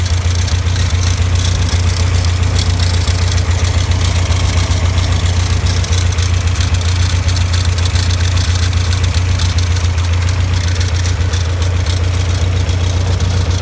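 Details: Caterham Super Seven at steady idle: coarse, dry continuous rattle over the engine note from a worn alternator bearing.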